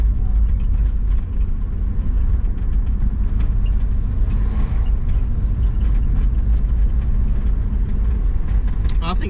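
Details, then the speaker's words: Twin-turbo Subaru Forester being tuned for 1300 cc injectors, with latency lowered in the tune. Steady low rumble broken by irregular ticks and stumbles, misfiring; the owner suspects spark, possibly the spark plugs or their gap. "might be spark now i think i need better spark plugs probably the gap"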